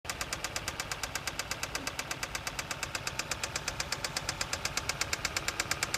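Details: 2007 Kia Carens 2.0 CVVT G4KA after timing chain replacement with marks aligned: sharp, even tick about three per second at idle near cylinder 1; owner suspects valves, unconfirmed.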